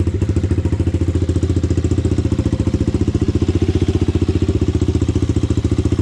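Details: Honda 400EX single, first start after rebuild and idle-screw adjustment: even, steady thumping at a fast idle with no knock or valve clatter. The owner still plans to work on the carburetor.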